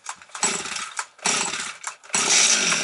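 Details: Stihl 250 chainsaw, cold start on half then full choke, carburetor settings unchanged. Catches on the third pull and settles into a crisp high buzzing run; starts and runs normally.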